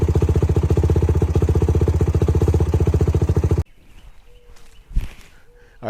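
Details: YFZ WR450 478 hybrid single-cylinder after head gasket repair: steady, even thumping for a few seconds before shutting off; healthy with good compression.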